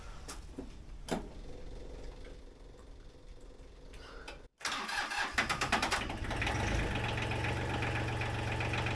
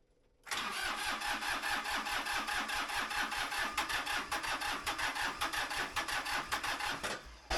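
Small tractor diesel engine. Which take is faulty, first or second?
second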